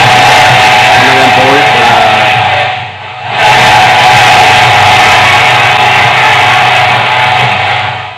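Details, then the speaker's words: LA4440-based 12 V amplifier after the IC fault was dealt with: the previously crackling channel now plays full and clear at high volume with no crackling or cutting out, and overheating is reduced. "කැඩි කැඩි ආපු එක දැන් ඔන්න හරි ගිහිල්ලා කිසි ප්‍රශ්නයක් නැහැ."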